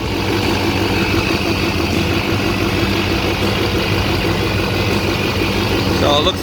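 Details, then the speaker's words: Chevrolet Duramax diesel idling right after replacing both idler pulleys suspected of a humming noise: a steady, even low rumble with no hum or whir from the belt side, so the fix appears to have worked. "it looks like a fix."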